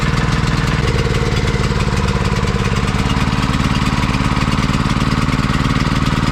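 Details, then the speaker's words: Generator converted to run on mains gas through a carburetor insert, petrol disconnected, shortly after a cold start; the small single-cylinder engine thumps at a steady, even beat with no surging, ammeter steady, and it is about to take load. "чуєте як він працює так рівненько мотор робить все"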